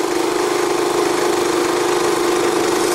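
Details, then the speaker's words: Energizer eZV3200P inverter generator switched to Eco mode, which lowers RPM, measured from about ten feet: smooth, even mid-pitched hum at low constant speed with no surging or misfires, mid-to-high 50s dB; normal eco-mode idle. "put it into the Eco mode that lowers the RPM down quite a bit quieter"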